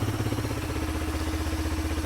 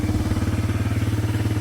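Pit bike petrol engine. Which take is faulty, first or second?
second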